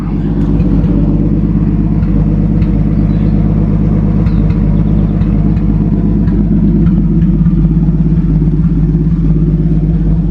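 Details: 1937 Talbot 3 Litre straight-six, recommissioned after decades unused, idling while warming toward thermostat opening with coolant topped up and improvised top hose holding; timing and carburettor untouched. Steady, even low idle, soft regular beat, no knocks or misses; healthy.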